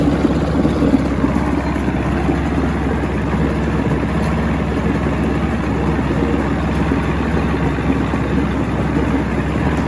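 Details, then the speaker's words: 1970 Evinrude 85hp outboard with hydroelectric shift, about 50 years old, new water pump impeller, not mounted on a boat. Smooth, even idle for ten seconds with a steady low burble and no misses or knocks; a nice running motor. "i'll even help you mount it on the boat nice running motor can't wait for spring"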